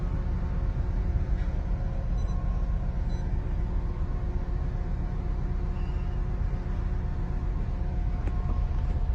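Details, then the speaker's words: Honda Accord with flashing check-engine light, low uneven idle with a loose stumbling beat about every two-thirds of a second; scan shows cylinder 2 ignition coil circuit fault and cylinder 2 plus random misfire. "Cylinder 2 ignition coil circuits. Cylinder 2 misfiring, random misfiring."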